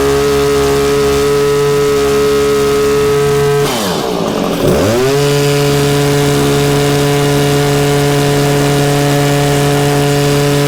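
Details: Stihl HS 81R hedge trimmer two-stroke after cleaning the plugged spark arrestor and refitting the pipe; steady high-revving buzz sags briefly, then picks straight back up and holds an even, clean note, running healthy.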